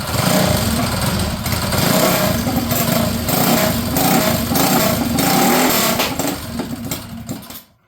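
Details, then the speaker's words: Custom Predator minibike, small single-cylinder, after timing and valve check: runs rough and uneven at a fast rapping rate with no clean idle while fuel dumps out; carb float or needle valve suspected, fuel overflowing from carburetor. "so it appears got a float issue here fuel is just dumping out of the tank"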